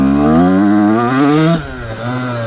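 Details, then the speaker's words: Brand new 2026 Yamaha YZ85 two-stroke that was running rich and fouling plugs, after air screw adjustment, second gear full throttle: crisp note climbing smoothly then cutting cleanly, no longer bogging, perhaps a tiny bit left. "Yeah, that's definitely better. The air screw [clears throat] pretty close. I might try leaning it out half a turn, see if it still doesn't bog. Yeah, it's it's not bogging anymore. Even full throttle."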